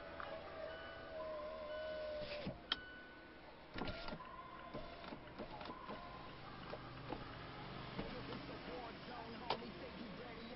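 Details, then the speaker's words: 2014-2017 Mazda 3 after the door panel was reinstalled, before the glass was lubricated: a faint, steady power-window motor whir as the glass travels up and down, no binding or grinding; the window works correctly. "podemos ver sube y baja correctamente como medida de prevención y para ayudarle al vidrio a subir y bajar más aprisa"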